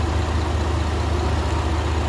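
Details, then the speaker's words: 2018 Ford Expedition Max after cam phaser replacement for a startup rattle and a 38-mile test drive. A deep, steady, even idle with no ticks, rattles or misses; no leaks, running great. "Nothing leaking anywhere. Everything's sound. The vehicle's running great."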